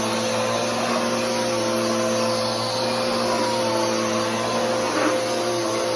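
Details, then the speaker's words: Bissell PowerForce Helix 3313 vacuum running: constant motor roar with a steady, unchanging whining hum on top, identified as drive belt noise. "and that noise is the belt uh but anyways that's the 33113"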